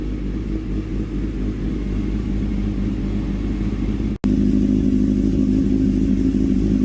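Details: Small engine after carburetor cleaning and adjustment for idle and misfire problems: runs steadily with an even beat, no stumbles or pops; carburetion sounds properly set.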